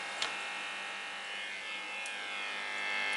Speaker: la patilla dos se oye un un leve zumbido HM que está aún sin amplificar